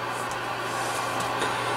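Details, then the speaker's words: Classic Yaesu FTDX 560 transceiver, 25 kHz calibrator selected, accessory plug jumpered: only steady hiss with low hum, no signals; no receive at all, pre-select peaking makes no difference, also dead on 20 and 15 metres. "Alright, we have static. We'll put it on 25 kilohertz. And we have nothing. No receive whatsoever."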